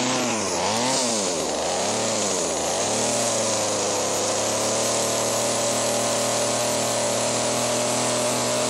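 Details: Chainsaw: revs hunt up and down for a few seconds, then settle to steady buzz; carburetor suspected. Surging, unstable running.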